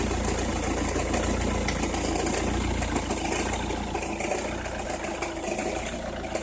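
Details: Opel Meriva, cold engine at idle: uneven crackle over steady engine hum, only when cold or at very low revs, stops crackling once warm; noise seems to come from one side, cause not pinned down.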